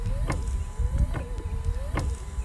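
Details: 2017 Ford Transit 350 diesel dually wipers. A faint click with a short squeak about every 0.85 seconds, in time with the wiper sweeps. Slight leftover linkage noise; cause not confirmed.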